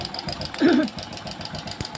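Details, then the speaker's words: Hero Passion Pro single-cylinder at uneven idle, timing chain replaced about 15–20 days earlier: light fast metallic chatter from a failed cam chain adjuster (tensioner) letting the timing chain slap; noise stops when adjuster is checked, adjuster to be replaced. "हा तो दोस्तो बिल्कुल आवाज बंद हो गई देख सते तो यह इसका चैन ए जस्टर खराब हो चुका है जिसे कर हवाज आ रही"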